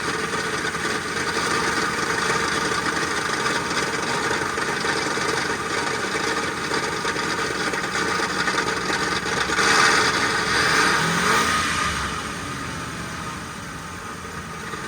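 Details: SUV just after a full transmission rebuild with a brand-new torque converter: harsh raspy metal grinding about three times a second from the flexplate/torque converter area; owner suspects converter misalignment, flexplate, spacing or starter engagement, unconfirmed.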